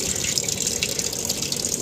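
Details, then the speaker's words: Sharp single-tub automatic washing machine that kept filling after program end, tested after control module repair: steady hissing rush of water into the tub through solenoid inlet valve, no chatter or hammering; inlet fill now controlled, normal. "sudah bisa dikontrol ya air input inlight-nya sudah bisa"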